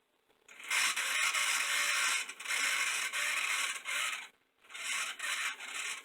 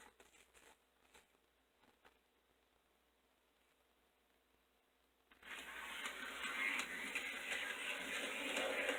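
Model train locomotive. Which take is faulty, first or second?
first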